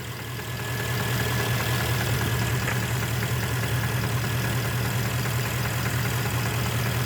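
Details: Porsche Panamera 4.8 at hot idle after about two hours of driving: a faint, loosely regular tapping of two or three a second that goes away when revs are raised slightly toward 1000 rpm, with no knock when cold. Scuffing is suspected.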